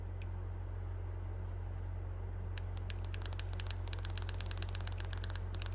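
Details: Case Patriot 3330 sprayer AIM Command solenoid, rebuilt after plungers kept sticking, pulsed on the bench at 9 volts: sharp, even clicks about two and a half per second over a steady electrical hum; the plunger is pulsing normally.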